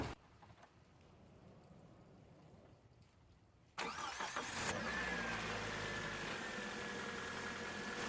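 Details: 2006 Toyota Corolla start-up just after an alternator replacement: quiet, then the starter catches and the engine settles straight into a smooth, even idle with no squeal or knock; healthy running.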